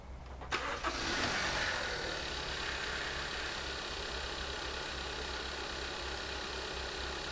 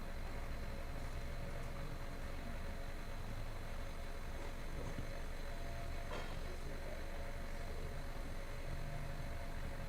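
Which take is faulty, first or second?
first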